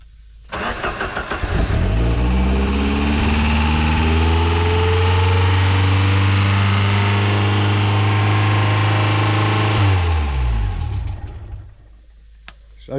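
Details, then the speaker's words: Ford Sierra RS Cosworth first start after years hidden in bushes, fuel pump now working: cranks, catches and climbs to a strong, steady, deep rev, then drops off; revving a bit on first start. "reving a bit a she [Music] yeah so now the uh next part is to get it right here it's actually nice to hear it running to be honest very nice to hear it running"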